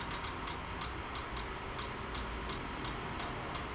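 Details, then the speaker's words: Yamaha Virago 1100 after carburetor float-bowl gasket repair, engine off, spare battery connected, priming: steady light ticking about three times a second as the electric fuel pump fills the float bowls, expected to stop; fuel pump clicking while priming. "I got that other battery on it, and we gotta prime it a couple of times. Eventually, that clicking should stop."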